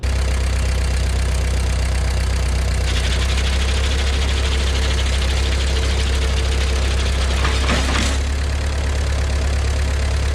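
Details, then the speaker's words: John Deere No. 5 sickle mower after repair, gearbox filled with about 1.5 quarts of gear lube, driven by tractor: steady deep drone with even, uninterrupted chatter, no knocks or grinding; normal running. "Well, as you can see, it's working. That's good."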